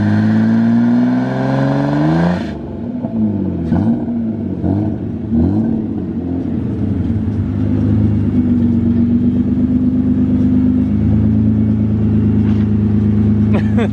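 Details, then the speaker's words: T18 drift car, after the fault was traced to fuel pressure: engine revs hard under acceleration, climbing, dropping and holding a steady high note with tyre scrub, no stumble; now running properly. "Sounds good. Sounds like it's actually freaking running properly."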